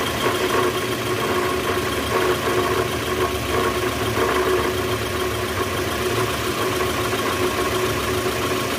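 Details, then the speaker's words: 2010 Toyota Vellfire, 2AZ-FE 2.4 L, about 100,000 km, cold start in reverse with brake held: rough, uneven knocking low in the engine; indicates balancer shaft gear worn loose or broken. "ya bunyinya jelas banget bunyi gitu di bagian mesin Nah itu indikasi balancer shaft-nya udah oblak atau hancur nih guys"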